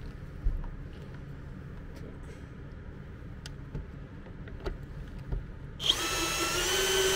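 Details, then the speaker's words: MET AIR T-100 anti-bedsore mattress compressor, after repair of a dropped-out internal contact that stopped it switching on: quiet, then it kicks on with steady motor hum and even airy hiss; normal running. "Проверяем. Все работает, воздух идет."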